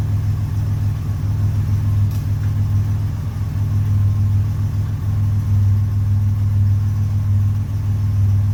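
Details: 1981 Buick Century wagon with Grand National LC2 turbo V6 and 200-4R, first start after a Vigilante 3000-stall lockup torque converter swap: steady, even low idle rumble with no knocks, misses or surges; healthy and settled.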